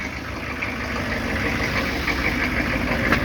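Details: 1995 Chevy 3500 one-ton, 6.5L diesel, cold start: truck shaking, heavy smoke, clattering uneven knock about three per second with lumpy rhythm. Rough smoky cold idle, hard starting.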